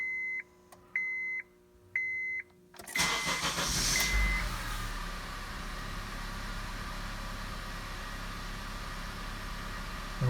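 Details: 2009 Honda CR-V after oxygen sensor replacement for code P2A00 and clearing the code: three soft beeps, then the engine catches and settles into a smooth, even idle with no knocks or misfires; normal start.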